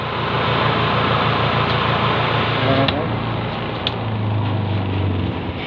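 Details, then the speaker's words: Washing machine spin tub converted to a spin dryer with a second-hand motor: loud, steady whirring roar with a firm low hum holding level. It spins stronger than an ordinary dryer; normal spin. "Mas malakas siya kaysa sa ordinaryong dryer."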